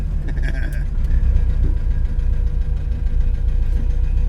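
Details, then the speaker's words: 1966 Alfa Romeo Giulia GT race car, freshly restored 1.6L four-cylinder with individual Weber carbs: low lumpy idle that wavers and never settles; running rough, cause unclear. "I'll be honest this car does not have a good idle like that's not an inspiring"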